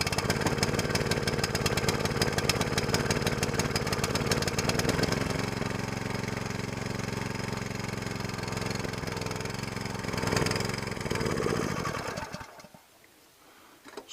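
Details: New SPS longtail mud motor during break-in, fired after the choke was reset to run: the small engine chugs along at a fairly steady beat, a bit uneven as it settles. Normal running.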